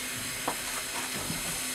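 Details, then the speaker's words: J. G. Brill gasoline motor car 120 after repair work; steady airy hiss with a couple of faint knocks, no engine beat; not the fuel pump, no voltage regulator sparking; source unknown; unidentified hissing noise. "So that noise, I don't know what that is. It's not the fuel pump, but it's there's no sparking happening in the voltage regulator."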